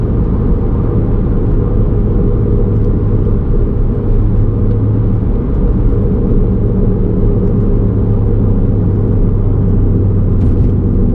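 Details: VW Golf R32 MK5 under way: deep, constant low droning growl that swamps the road noise; worn wheel hub bearing rumble.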